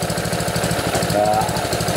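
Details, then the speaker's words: Honda GC160/GC190 pressure washer engine after valve adjustment, with the water pump already bad: a steady, even chug with the valve ticking gone. It is still smoky from overfilled oil burning off. "have that ticking noise anymore so that's pretty good definitely that exhaust belt seems to run pretty good"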